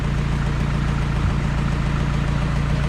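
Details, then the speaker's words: Engine idling after a compression test, running rich. A steady low rumble carries a light rhythmic tick that follows rpm. The cause is unknown and lifters are suspected: ticking at idle. "but you can hear it listen there's that take there and it goes with you it could be you want to go give it a rum but we can hear that tick we don't know what the problem is"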